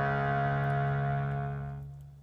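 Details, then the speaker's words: Harmonium (DMS 18 Teak), single reed after its casing's inside edge was filed so the reed no longer hits the metal casing: steady clear low note fading out with no buzz or rattle; fixed. "And now that rings fine."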